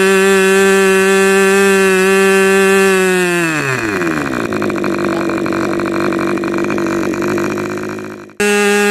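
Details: Rebuilt K&B 40 model 4011 after two runs, 10% Coolpower plus 4% castor, 10x6 prop: clean high buzz about 12,600 rpm drops smoothly to a steady idle around 2500 rpm; good power, idle and transition.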